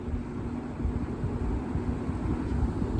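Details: General Electric W25 box fan, old and battered, motor not yet rebuilt, on medium speed. Steady, even hum with a soft constant tone and some wind buffeting; runs smoothly. Healthy.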